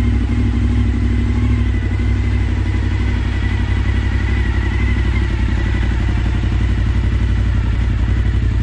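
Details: Suzuki SV1000S V-twin from insurance salvage, first start wired to the battery; deep lumpy thump about four beats a second at idle, no knocks or bangs: normal idle.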